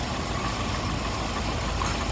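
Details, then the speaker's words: 1998 Toyota Corolla 1.8 at idle: rough, uneven idle with irregular stumble in exhaust beat, missing on number one cylinder; misfire followed spark plug, cylinders oiled from leaking valve covers. "so it's missing on this number one cylinder for sure"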